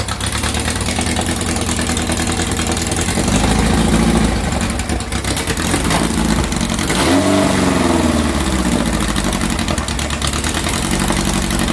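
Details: "Dust Buggy" bug with a 2332cc engine, cold start after its carbs were cleaned and refitted. Earlier it ran rough and missed, with smoke from oil spilled during the filter change. After the mixture screws were set, it holds a steady, clean air-cooled idle with a couple of throttle blips: normal idle.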